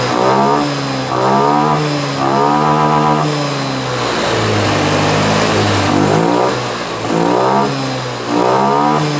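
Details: Honda Scoopy FI (around 2022, K0J engine) with hesitation on low to mid throttle, after injector setting adjustment; engine picks up cleanly, rising and falling smoothly through several blips with an even, steady note.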